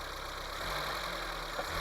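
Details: 1980 Honda Civic running after fuel line work and an ignition coil change: steady even idle with a light rattly tick; relatively high valve clearance typical of this engine, considered fine.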